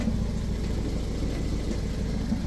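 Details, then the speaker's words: Toyota MR2 idling before MOT, exhaust blowing at the flexi joint, sounds like a tractor on the road: steady low idle rumble with a rough chuffing edge to the exhaust note; exhaust leak. "but yeah the exhaust is blowing uh it does sound like a bit of a tractor when you take it down the road"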